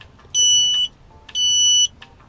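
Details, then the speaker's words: Archeer dual USB car charger with LCD voltage display, plugged into the car's socket: sharp high beeps about half a second long, repeating about once a second; the charger's low-battery voltage alarm. "oh that has an alarm that if your battery's getting low"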